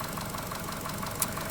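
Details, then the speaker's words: Chevy Cruze, freshly installed customer-supplied engine, at idle: a light, regular tick about six per second plus a small knock. A weak oil control valve is suspected; the pulled valve later showed ferrous metal and was probably clogged. "I mean, it could be from a weak oil control valve. I don't know what was done, why it was done previously. Why did he need to go in that motor? And I don't like that little knock too."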